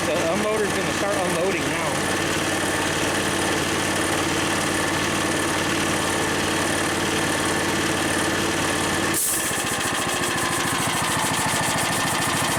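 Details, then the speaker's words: Harbor Freight engine-driven V-twin compressor, new pump, cycling automatically between about 90 and 125 PSI: steady small-engine drone, then sharp hiss of venting air as the idle drops and beat slows; normal unloader cycling. "so as you can hear it it kicked in automatically I didn't touch it going to it's about to uh kick back uh it's actually"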